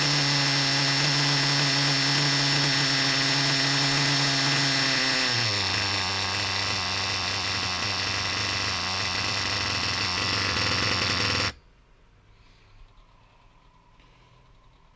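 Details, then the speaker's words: Reds R5 nitro RC engine run indoors with fuel injection line hose on the pipe, drivetrain spinning: high-pitched steady scream, revs climb, drops to lower even pitch then shuts off; earlier chipmunk noise gone, no rattle. "we just heard it climb a little bit now didn't we 've got Drive trains spinning so hey man I don't hear that noise man"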